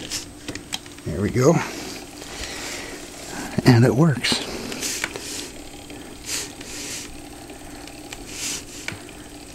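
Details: Restored Edison A60/A80 disc phonograph belt-drive spring motor (c.1913), cleaned, oiled, greased, adjusted, wound with borrowed crank: ratcheting wind, then soft steady hum, no scraping or knocking; runs healthy.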